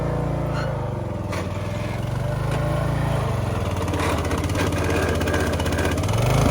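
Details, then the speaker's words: Craftsman LT1000 yard tractor, long-sitting, first drive: small engine labours with lumpy uneven drone that dips and recovers as drive binds; burnt clutch smell, front belt smoking; suspected locked-up gears, possibly water in hydrostatic transmission; unconfirmed. "It sounds like the gears were locked up a little bit. There might have been some water in that transmission."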